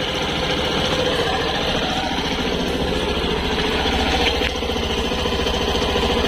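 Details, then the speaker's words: Suzuki Burgman Street EX 125 scooter at about 1,800 km, single-cylinder at cold idle with a steady, even putter and no knocks or rattles; owner says it gets noisy when hot, gearbox gasket warranty claim. "Oke. Jadi, saat mesin dingin, putarannya tetap halus. Ini lancar."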